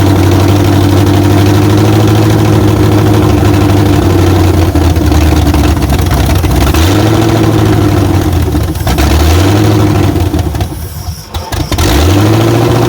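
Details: 1994 Chevy Silverado Z71 5.7 350 V8 first start after swapping to aftermarket aluminum heads, no coolant yet; runs unevenly, revs surging and dropping, light clatter from loose rockers; owner half suspects an intake leak.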